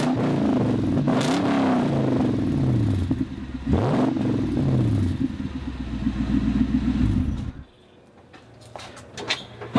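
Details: Toyota Land Cruiser 100 series LX470 (UZJ100), before exhaust replacement: a hole in the exhaust that rattles a little gives a loud, raspy, blatting note that rises with throttle; exhaust leak.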